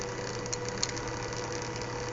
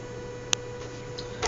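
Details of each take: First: Small fischertechnik motor driven from Arduino Mega2560 circuit, working after a half-out red power wire was pushed back in: low steady hum with faint whir, no rattle or stutter; normal running. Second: Arduino Mega2560 driving a fischertechnik motor through transistors with PWM: thin steady whine at fixed pitch, no speed change; motor whines but isn't turning.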